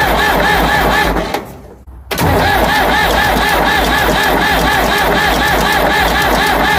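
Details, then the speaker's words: Ford 555 backhoe diesel after head reinstall, temporary return line fitted, fuel possibly gelled, filter may be plugged: starter drags engine at steady three-per-second rhythm but it never catches; air-bound injection pump starving it of fuel. "Okay. So, it doesn't seem to want to start. I'm not really surprised."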